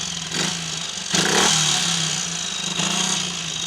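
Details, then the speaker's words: Triumph Tiger Cub single-cylinder after carb rework: 110 main jet, 105 needle jet, needle fourth groove, new spark plug, ignition timing slightly retarded; fast idle with clean throttle blips, flat spot nearly gone, owner suspects a 120 main jet may be better: normal revving. "The flat spot's just about gone. My money is on perhaps a 120, but this is certainly good enough to take for a test ride with the 110 in it."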